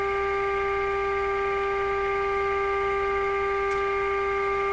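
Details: Westinghouse 636 radio output stage playing a steady 400 Hz test tone with buzzy overtones and a faint hum underneath. The harmonics stay the same as the volume changes; the distortion's cause is not yet found.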